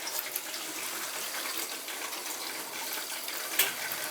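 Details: Oil-fired boiler service: water rushing from the purge hose with irregular spits and sputters as trapped air blows out of a PEX hydronic heating zone; noise fades when the zone is purged.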